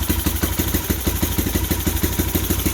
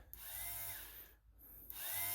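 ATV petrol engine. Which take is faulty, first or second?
second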